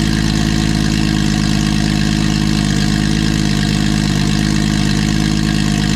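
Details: Nissan Skyline RB six-cylinder engine (RB20) idles deep, steady and even on all six cylinders with no miss or knock, after fixing a no-compression issue; normal idle.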